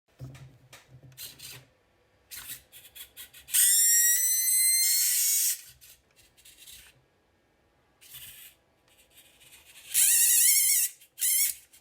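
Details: WPL D12 RC truck steering servo gives loud high-pitched whine bursts, pitch sweeping as it steers, noisy when turning left; cause not yet found.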